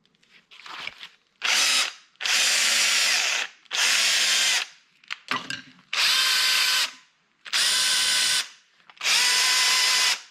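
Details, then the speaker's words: Drill motor after new brushes (old brush missing, heavy damage and rust inside); repeated trigger pulls of about 1.5 s, high coarse rasping whir; sounds a bit better but still horrible; cause unclear. "definitely sounds a bit better I think it just has more B now but still sounds pretty horrible"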